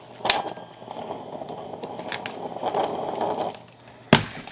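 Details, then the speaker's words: Garage-sale personal cassette player heard through headphones: loud sharp pops and cracks burst over very faint, muffled music. Another cassette was tried to rule out the tape, and the player itself is suspected of crackling. "that sounded horrible it was like the music was really really quiet and the pops and the bangs were louder than anything else"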